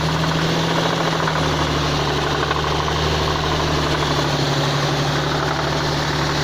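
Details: Nissan VQ35DE 3.5 L V6 with variable cam timing, 315 hp, from a Z33 350Z / G35 convertible, idling with a deep regular knock under the engine note: worn connecting rod bearing knock.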